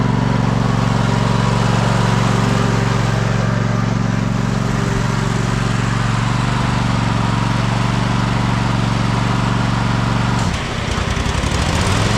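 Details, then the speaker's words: Cub Cadet Super LT 1550 twin after fuel-system cleaning and carb work, running on two cylinders: steady low drone that dips and stumbles, labored when driving with blades engaged though fine under load standing; suspected fuel starvation. "Okay, it is running a lot better, but it still sounds like it's not getting enough fuel. When we have a full load on, it sounds okay even just with the blades engaged. But when you go to drive with the blades engaged, it sounds a little labored."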